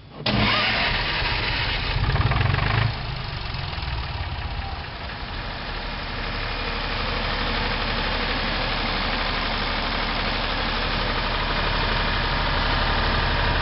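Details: Hunting HiVolt 12 kW three-phase diesel generator started with its hydraulic starter by pulling the release cord. A short, sharp crank, then it catches at once and settles into a steady, even idle with no misses. Healthy start.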